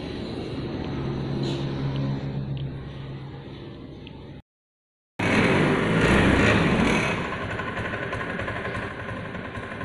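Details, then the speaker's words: Honda Scoopy fuel-injected scooter: engine starts but on snap throttle revs hang flat instead of climbing, bogging; fault attributed to throttle position sensor. "ya teman-teman berhentikan ternyata gasnya tidak mau naik rpm nya itu tidak mengenai Ia temen-temen tetap tertahan ya"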